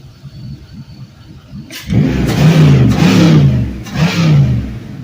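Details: Gen 3 5.3L LM7 V8 with 140k miles, cleaned long block, drive-by-wire, run at around 180 degrees: quiet idle, then three crisp rev blips climbing and falling smoothly with no knock or misfire; healthy engine revving.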